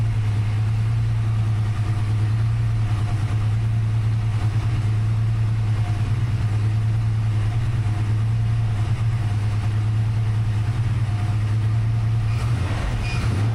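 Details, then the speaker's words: Freshly rebuilt 363 V8 in a notch, new Diamond pistons, Holley smart coil ignition, crank trigger, Terminator X EFI, first start idling, air-fuel leaning out: deep even idle rumble, no ticks, knocks or stumbles. "I guess there's no no leaks, no noises. It runs. It started really nice and quick and uh"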